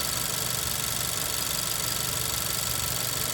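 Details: 2018 Honda Civic Si, warm idle with the check engine light on. The owner says the quick steady tick is the high-pressure fuel pump and injectors and is normal, but a faint thin squeak rides over it; source not found.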